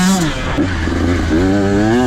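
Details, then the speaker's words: 2023 KTM 125 SX fuel-injected two-stroke, onboard, pulling out of corners: crisp clean note climbing quickly through revs with no bogging or stutter; normal acceleration, stays near the power band. "But here's a few clips of me just kind of pulling it out of corners. You can just hear how it just picks up."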